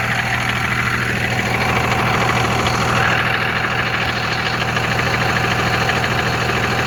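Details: 2001 Cummins diesel with a 5-speed manual: a loose metallic rattle, about three per second over the diesel clatter, when taking off and accelerating; owner unsure whether it is an exhaust leak or the flywheel.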